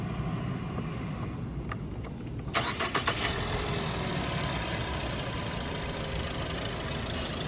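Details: Ford: steady, even cranking at a brisk regular pace that never catches. The engine turns over but won't start.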